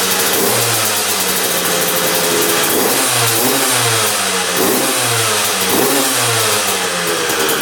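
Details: 2001 Honda CR125 two-stroke dirt bike after fix-up (seller said new crank, piston, seals), started on choke: crisp blips rising and falling cleanly about once a second from steady idle, no bogging or misfire; normal running.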